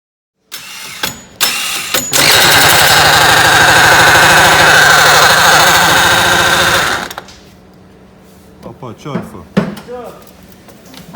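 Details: Apachi Alfa motorcycle: the owner pressed the kick-start while lifting the running bike onto its center stand, and the engine sound changed; it now runs harsh and rattly with the kick-start mechanism jammed.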